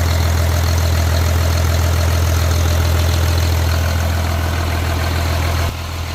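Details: Cat C7 diesel test-run on the ground after overhaul: deep, steady drone with an even beat about three per second, no knocking or misfire; the engine idles smoothly.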